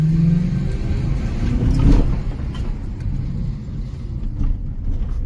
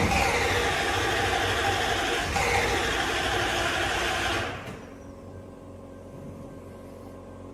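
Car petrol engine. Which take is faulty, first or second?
second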